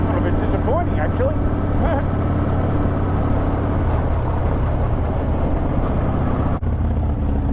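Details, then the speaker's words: Harley V-twin after air filter change: low, steady thump at idle with even beat, no stumbling or misses, idling and running better than before; normal idle. "God the bikes that sound so much better it's idling better just running better"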